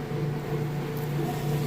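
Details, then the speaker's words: Whirlpool top-load washer switching from the wash cycle to the rinse cycle: a steady low motor hum with rushing water as it drains fast and evenly. Normal drain pump operation. "can hear it draining that water. Nice and fast. So now you know the drain works."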